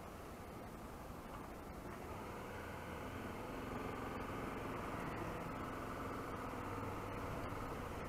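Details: 2019 Honda XRE300 riding; steady engine drone under road and wind rush with no chain slap or clatter; normal riding sound.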